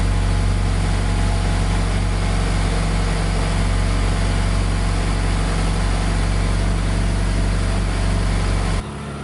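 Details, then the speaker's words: 2019+ 4th-gen Mazda 3 non-turbo after aFe Takeda Momentum cold air intake install (Pro DRY S filter): cold start idle, smooth even steady low drone with no misses, ticks or rattles, no check engine light; normal. "All right, everything is installed. I'm gonna go ahead and start it up."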